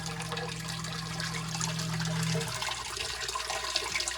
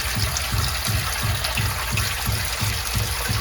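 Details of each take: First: Crawl-space sump pump in Chicago after the old check valve was replaced with a quiet check valve: pump hum runs steady then cuts off, water settles, and no bang follows; banging at cycle end is fixed. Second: Sump pump system in a crawl space: rhythmic low booms, about three a second, with rushing water for 20 seconds or more after the pump shuts off, from a faulty check valve.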